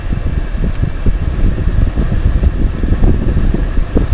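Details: Chevrolet HHR heater/AC blower: loud steady fan roar at full speed that does not change with the switch, stuck on high after running the AC, typical of a blower relay stuck on.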